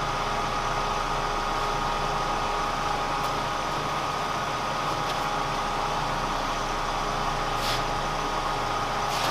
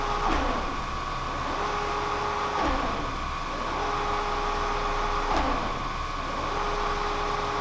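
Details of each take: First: Kearney & Trecker 307 S-12 plain milling machine after knee distribution box reinstallation, lube pressure set to 25: steady, even motor hum with constant mid-pitched tone, no surging or knocking; normal hydraulic pump running. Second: Kearney & Trecker 307 S-12 plain milling machine after knee reinstallation, testing axis feeds: steady motor hum repeatedly cutting out and returning, with knocks as the feed drops off; feed motor stalling, cause unknown.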